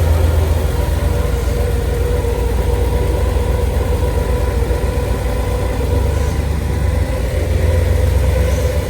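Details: 1962 Chevrolet Bel Air sedan, factory inline six with Powerglide automatic and upgraded aluminum radiator, just fired up: low, steady rumble with an even, unhurried beat, no knocks or misses; super smooth, healthy idle.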